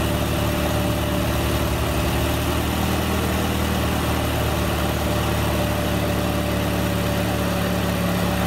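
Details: L61 engine just after cold start, intake resonator removed: fast, even clatter over the low idle hum, like a brief rattle from the front; owner suspects timing chain running dry for a few seconds, not confirmed.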